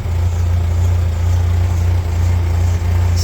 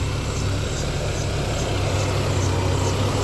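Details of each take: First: 1994 Ford Ranger 2.3L four-cylinder after hose replacement for rough idle and new starter: steady low idle rumble with uneven puffing beat underneath; exhaust leak, louder than it should be. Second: 1994 Ford Ranger 2.3L four-cylinder, after replacing a hose to fix rough idle: low steady rumble with even beat, no stumbles or misses; idle normal, slightly high at first; problem solved.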